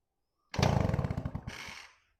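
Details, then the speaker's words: Old two-stroke moped bought for restoration, wind-up spring starter works and locks, engine spun over; short run of quick, even compression pulses slowing smoothly to a stop; engine turns freely, not seized. "You hear that, guys? This bike is free. This one actually might be able to get running."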